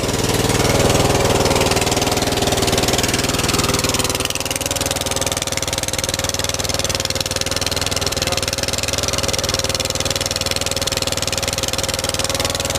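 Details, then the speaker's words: Troy-Bilt Bronco 42in mower with Kohler 20hp engine, after carburetor replacement and tune-up: steady idle with sharp rapid puffing tick each firing pulse, a fat exhaust leak, smells bad; exhaust to be welded. "sounds like it's kind of a fat exhaust leak"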